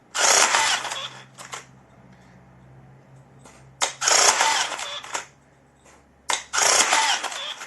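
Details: Electric rebar tying gun tested after repair with an ordinary spool from a general batch: three crisp whirring bursts about a second long, ending cleanly with quiet between; spool stops properly, wire doesn't unravel, working normally.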